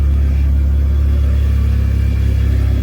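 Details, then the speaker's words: Car engine just got running again after work, holding a deep, steady low rumble with an even pulse and no knocks or ticks; normal smooth running. "there's my baby. It's all running. Oh yeah, buddy. I'm loving this."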